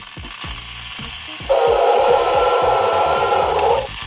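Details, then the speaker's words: Toy Biz Jurassic Park The Lost World remote-control T-rex toy after repair: small motor buzzes loudly with gear chatter for about two seconds, laboured and harsh under load, yet still drives the toy. "Nice! I mean, it sounds awful. The motor sounds like it's killing itself, but it's doing it still."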